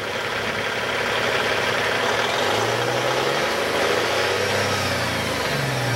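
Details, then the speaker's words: 2004 Peterbilt 387 semi with a 475 hp single-turbo C15 Caterpillar diesel, recorded under the hood right after starting: a steady, even diesel rumble at idle with no knocks or misses. Normal idle. "We'll go ahead and listen to it run. As you can hear, it's starting right up."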